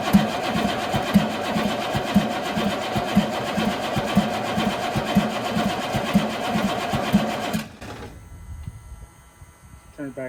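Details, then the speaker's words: 1983 Chevrolet squarebody 6.2 diesel, not run in years, injection pump top just off, no fuel in system, cranked about 10 seconds: strong but not fast starter whirr with even compression beats, never catches; dry fuel system, no start. "right now I have nothing in here and as you seen I had the top of the pump off so you should be able to crank it crank it for um 10 seconds"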